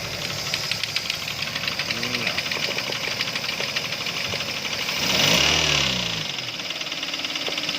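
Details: Toyota Avanza 3SZ engine at idle with sharp metallic knocks, about three a second, tapping steadily above the engine hum; internal knock, cause unknown.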